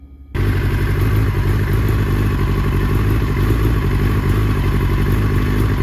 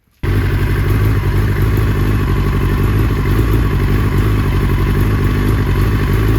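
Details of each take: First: 2005 R6 motorcycle with a pinging misfire that is worse at higher temperatures: loud steady run with a ragged, stuttering beat. Bad fuel or poor ignition is suspected; fuel stabilizer was added and the spark plugs were then replaced. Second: 2005 Yamaha R6, about 12,000 miles, after spark plug replacement for a pinging misfire worse at higher temperatures, warm engine: steady even idle, strong low burble, slight normal performance-engine unevenness, no pinging or missing; misfire fixed.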